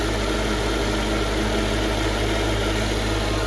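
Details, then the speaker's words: 2002 Mercedes-Benz S55 AMG V8, true cold start after four days unused in wet Atlanta weather, engine ice cold; smooth deep raised idle with even low rumble and steady pulse; normal healthy cold idle. "ice cold right"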